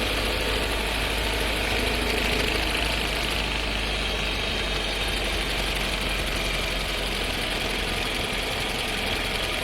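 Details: New Skoda Scala 1.5 TSI with dry-clutch DSG, six months old, about 3500 km, heard in the cabin when starting off: an uneven metallic rattle over engine and road drone, with shaking felt; transmission suspected, awaiting the dealer.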